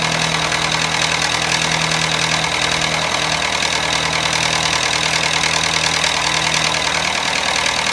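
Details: Toyota Matrix petrol engine idling with a harsh metallic rattle, also stalls when braking; engine was completely out of oil due to a leaky gasket.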